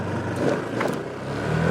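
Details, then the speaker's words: Honda PCX150 pulling away after installing new Dr. Pulley 14 g variator sliders: engine note climbs smoothly, no shudder or bog; previously the variator stuck in mid ratio, bogging the engine until 15-20 mph. Normal CVT acceleration. "Oh yeah, full power acceleration now. Yeah, before it wouldn't give you any real power for accelerating until you reached 15 or 20 miles an hour because the Variator was stuck in a mid ratio and bogging the engine out, wouldn't let the engine rev up."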